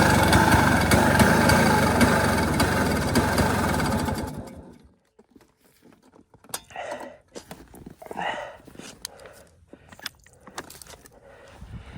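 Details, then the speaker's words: 1973 Yamaha two-stroke snowmobile, locked up 8 years, engine full of transmission oil being flushed: loud, uneven rattle for about four seconds that dies out; plug clogs with oil every few seconds, oil-fouled spark plug. "Every 5 seconds, I have to take the plug out. I'm getting so much oil out of this thing. It's nuts."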